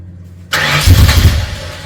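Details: Freshly rebuilt Ford 302 Cleveland V8, Holley Sniper injection, new electronic distributor, first start: sudden catch into a low, lumpy rumble surging and sagging unevenly; owner suspects lifters needed to pump up with oil.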